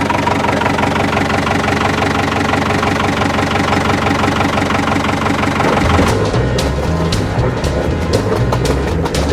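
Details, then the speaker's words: Diesel engine after bleeding air from the fuel line and injectors (earlier overheated from failed impeller); throttle on, normally around 5,000–6,000 RPM. Steady, even chug with no stumbling or misfire gaps, running smooth now the air is out. "it sounds like that it's pretty smooth actually when you had the throttle on and it's supposed to be up around 5,000 RPMs five or six is where it always is when it runs right there"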